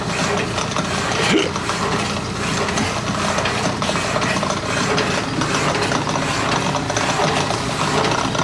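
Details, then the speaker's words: Walker Turner drill press, powered up to check it hums: steady even mechanical whir with light gear chatter, no knocks or grinding; runs smoothly and healthy. "This is the Walker Turner drill press. See if it hums."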